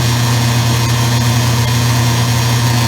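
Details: Circa-2003 Maytag Oversized Capacity Plus top-load washer, final high spin after rinse: loud steady low buzzing hum at constant pitch, the control panel vibrating from the motor.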